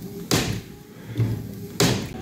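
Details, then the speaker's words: Lada Granta driving at speed: loud hollow slaps at uneven intervals over road hum as the loose wiper blade flaps in the airflow and hits the door, chipping paint that has started to rust; the blade needs securing. "И вот так вот едешь на машинне постоянно вот так ляп ляп вот видно щётка Да вот когда на скорости едешь она вот так вот видно ско за счёт воздуха её вот так вот ляпа ет"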